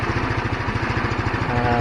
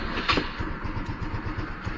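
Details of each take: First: GY6 scooter that kept dropping RPM and dying after a week sitting, now after cleaning the carburetor main jet: even steady idle putter, no dips or hunting. RPM stable; normal idle, problem fixed. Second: GY6 150 scooter after a week parked, battery and spark plug checked good: uneven, labouring putter after start, rpm sags and engine dies; can't hold idle and stalls; owner suspects carburetor problem.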